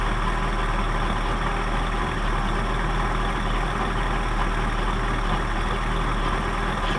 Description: 1979 Johnson 55 2-cylinder 2-stroke Outboard experiences rough idle